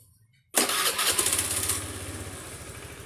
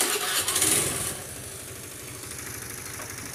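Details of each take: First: Honda Beat scooter after tightening a loose spark plug that had caused piston- or chain-like noise: catches on first crank, flares, settles into a steady smooth normal idle. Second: Honda Beat automatic scooter: after starting, a harsh, fast, uneven ticking rides over the idle, sounding like piston or cam chain noise. The actual cause is a loose spark plug.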